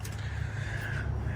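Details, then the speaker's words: 6.0 Powerstroke diesel truck after high pressure oil pump failure repair, first start once reassembled: deep even idle rumble, no knock or misses; runs smoothly, test drive pending to check for high pressure oil leaks. "It runs. I'm gonna go drive it, make sure it doesn't have any high pressure oil system leaks, anything like that, which it shouldn't."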